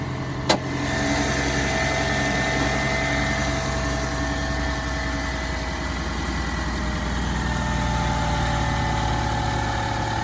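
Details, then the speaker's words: 2011 Toyota Camry 2.5 four-cylinder, 367,740 miles, owned since new, cold start at about 25 degrees: quick catch on the starter, then smooth settled idle, steady pitch, no ticking or misses; healthy cold start. "We can do a cold start. It's probably about 25 degrees out."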